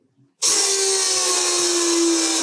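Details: Ariel Atom replica homemade car, rebuilt aluminium fuel tank with welded rail, pump wired directly to battery: after brief silence a steady high whir holds evenly; pump runs and builds pressure normally, though a hiss from a leaking weld follows.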